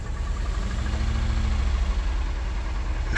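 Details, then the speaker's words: Low-mileage Cadillac STS Northstar V8 at idle: lumpy idle with an uneven stumble; one cylinder not firing. "oh listen to that old that old north star Miss back there"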